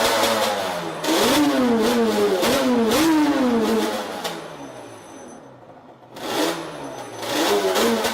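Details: Yamaha Banshee quad (2005 per caption, owner says 2000) misfiring only once warm at 80–90 degrees operating temperature; revs rise and fall unevenly with stumbles and drop-outs under throttle; spark plug ruled out, reeds to be checked for cracks next.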